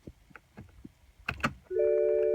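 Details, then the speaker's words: 2007 BMW X5 E70 N52 engine after valve cover replacement, Valvetronic recalibration with ignition on and engine start: a few light clicks then steady electric whir as the Valvetronic motor finds its worm-gear endpoints; normal. "What you want to do is if you're outside the car, you can hear the Valvetronic unit engage that, and it's going to find its endpoints on that worm gear."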